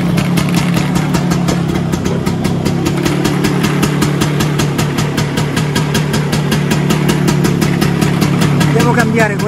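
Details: Vespa PX 125 with 177 kit, restored engine (new bearings, gaskets, piston, rings, lapped cylinder, first-gear parts), first start after a year on 2.5% mix. Steady, even two-stroke idle with a quick regular putter, no knocks or rattles. Normal idle.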